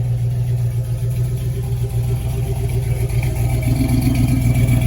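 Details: 1968 Chevelle wagon with LS engine on new Holley Terminator X Max EFI, first run, still learning: steady, even V8 idle, smooth low rumble, no misses or knocks; healthy idle.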